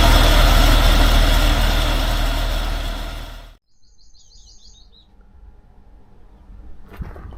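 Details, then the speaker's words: 1947 Dodge engine running evenly and steadily when warm for about three seconds, then switched off; follows carburettor work for fuel-supply problems and reluctant starting; owner cautions it may be a false dawn. "it may just be a false storm the fact that it's running okay when it's warm"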